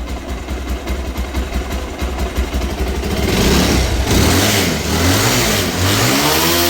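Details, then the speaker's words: Bajaj Pulsar 220F BS4 after engine rebuild (seized engine, damaged connecting rod, head and bore machined at lathe shop, washed and refitted): even steady idle pulses, a few clean blips rising and falling smoothly, no knocks or rattles; running perfect. "బండి start చేసిన చూసిరు కదా మొత్తం complete గా start చేసి washing చేసి మంచి neat గా చేసిన బండి ఇట్లా పర్ఫెక్ట్ ఉన్నది అనేది చూడండి"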